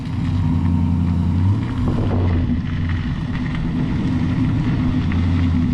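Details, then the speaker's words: Junkyard 6.0 V8 swapped in replacing a burned-up 5.3, bearings checked, after 6.0 tune: deep, even steady burble, no misses, ticks or rattles; healthy, owner notes an intermittent lifter tick to be fixed with new lifters. "all right guys obviously we got the 60 tune she's sounding a lot better"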